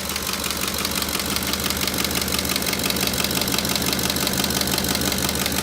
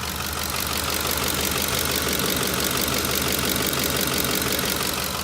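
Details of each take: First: Ford 5.4L 3V engine at idle: sharp, regular tapping from the valve tray, about three a second, from a collapsed lash adjuster/roller follower, often misdiagnosed as a knocking phaser. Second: Ford 5.4L 3V engine at idle, good side compared with the side that has a collapsed roller follower: steady, even idle with a smooth, regular valvetrain patter and no sharp tapping; this side sounds healthy.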